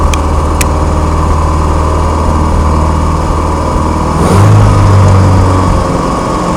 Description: My 1987 Starion having a bit of a rough idle.